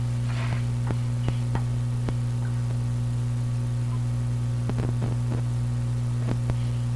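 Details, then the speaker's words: 85-year-old National HRO receiver, B+ switch fault, powered from variable supply at up to about 100 volts B+: steady low drone with faint clicks, no stations received; hum probably from power supply, unconfirmed. "the hum is probably coming from the power supply"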